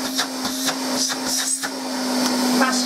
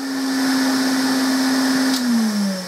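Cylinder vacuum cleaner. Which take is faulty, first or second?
second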